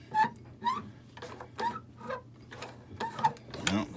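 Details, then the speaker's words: Old sewing machine turned by hand wheel stitching webbing through thick Carhartt coverall fabric: rhythmic squeaks about twice a second with each turn; machine squealing under heavy load. "Roll the wheel by hand. Oh, you hear it squealing? It's not liking"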